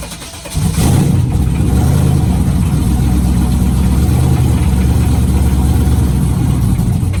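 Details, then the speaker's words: Sketchy race car after fuel pump wiring fixed (pumps won't shut off): catches and settles into lumpy loud idle with deep irregular knocking underneath; knock wasn't there before, cause unknown. "yeah i wasn't knocking like that before [Music] [Music] it wasn't doing that before"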